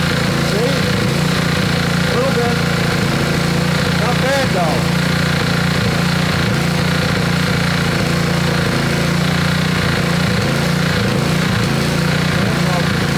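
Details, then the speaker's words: Little Wonder edger with Honda GX120, neglected for years, after initial service: single runs unevenly with an irregular beat and dips, stuttering; cause suspected in the carburettor, still to be removed. "somebody hears that and they're going to be like well what's wrong with it you know so that's going to affect the price i'll have to get a little bit more money to out of this because it's just not quite running right"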